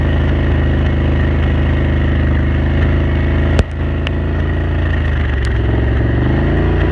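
Steady low V-twin drone at cruise, broken by one sharp pop midway and a few lighter snaps; it is misfiring intermittently.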